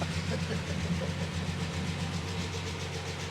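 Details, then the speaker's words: Rolls-Royce Phantom III V12 imported from Japan, just started after months of restoration with tappets done: smooth low idle with light, fast ticking riding on top, steady with the engine; tappet noise in the valve train. "Oh, there's all sorts of things to do to it, but you can hear the tappet noise and all that sort of stuff, but my golly, it's..."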